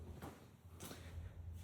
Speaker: There is still some noise that is coming up, and I'm assuming that it might be something from that belt. I missed to lubricate that. So that joint, when it scratches on over here, it is making the sound.